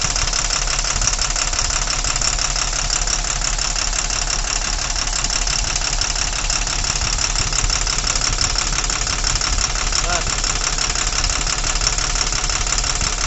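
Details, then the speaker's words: Tata Cummins BS4 diesel truck with heavy vibration and no pickup, unable to exceed 40: uneven tapping idle near three per second, and cutting the number 4 injector brings no response. Dead cylinder from broken valve. "कि आप देख पा रहे balance कि चौथे number injector में हमारा कोई भी रिस्पांस नहीं ले रहा है इंजिन हमारा ठीक है ना कोई सा भी रिस्पोंस नहीं ले रहा है"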